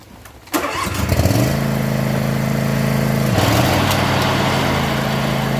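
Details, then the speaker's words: John Deere zero-turn mower used commercially, refitted with its old blades: the engine runs a steady drone with blades engaged and no periodic knock. This shows the intermittent noise is a blade problem, not a spindle problem. "now ain't that some uh clearly it's a blade problem if it was a spindle problem it would still be making that intermittent noise every few seconds"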